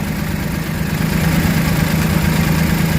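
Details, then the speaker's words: Suzuki mini van DA64/DA63 K6A engine at idle with aircon switched on: low shaky, uneven throb; idle-up valve clogged and not working, TPS also faulty; rough idle from clogged idle-up valve. "Pag i-on na nating aircon i-on nating aircon yan balik so Nanginginig na siya ayan o So ibig sabihin yung ID up hindi gumagana o Barado na to"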